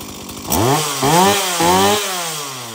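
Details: Stihl MS170 chainsaw, brought in because it wouldn't shut off by switch, tested after switch repair: fires, blips through crisp throttle pulls, settles to even idle; starts, oils, shuts off on switch, running normally.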